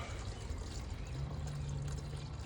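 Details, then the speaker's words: 5.7 Hemi coolant bleeding via the T50 bleeder screw on the water pump: soft, low gurgling and bubbling with no engine noise as the fluid pushes trapped air out of the cooling system. "you can hear the gurgling can hear it here it comes I can't see it but I can hear it the fluid is pushing the air"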